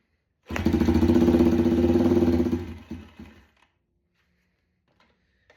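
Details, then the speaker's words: Yamaha TTR 90 during revival, petcock on, choke tried: runs raggedly for a couple of seconds then stalls. Seems fuel-starved, not confirmed; the air-fuel mixture screw (at 1.5 turns) is to be adjusted next. "Come on. Okay, got our petcock on. Sounds like it's not getting [Music] gas."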